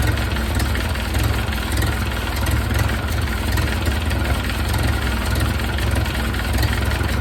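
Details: 1931 Ford Model A four-cylinder, barn-stored for years, after distributor cam set for more advance and idle lowered, warm exhaust: low steady idle with an even beat and loud rough exhaust, holds speed without stumbling; running a little better.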